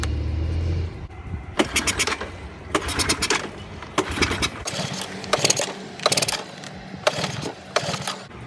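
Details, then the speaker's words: 1984 Honda ATC200ES Big Red trike, sat for years, wet spark plug: cranks in short bursts with pauses but never runs; spark comes and goes intermittently, suspected bad spark plug, not confirmed. "so we came down to conclude that the problem is the spark it's gettin spark'd on and off so it could just be the fat out sparkplug"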